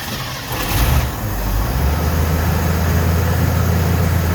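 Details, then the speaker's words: 1969 Ford F100 in the garage, briefly started after installing Pertronix electronic ignition with 12 volts found at the coil: brief crank, catches and settles into a steady deep even idle; starts and runs fine. "Okay, so it's running it's running."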